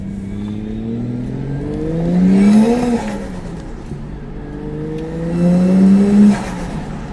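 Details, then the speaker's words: Toyota Mark II JZX110 1JZ-GTE after turbo refit, driving: thin high turbo whistle/squeal climbing with revs and dropping on lift-off; suspected boost leak. "So yeah, didn't know what that was. Asked a few people. They said it sounds like a boost leak."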